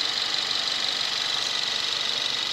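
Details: 2017 Kia Rio 1.6L inline-4 GDI, about 10,000 miles, just started and quieting down: fast, light sewing-machine ticking over a steady hiss at cold-start idle, little low rumble; normal direct-injection engine idle, runs smoothly.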